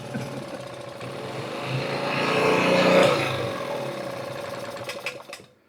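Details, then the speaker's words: $5 2000-watt portable generator that had no fuel, first start after fitting a new carburetor on full choke: small engine fires, swells then settles to a steady run before cutting out; runs normally. "Let's go! Yeah! Oh yeah! It works!"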